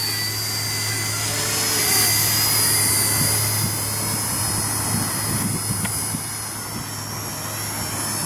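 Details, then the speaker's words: Blade Nano CPX helicopter on stock 150 mAh 45C LiPo: high rotor whine sags in pitch when idle-up and collective pitch applied; tired, old battery lacks output so motor bogs under load. "as soon as you get it an idle up and really start putting some pitch into it you can hear it bogging pretty bad"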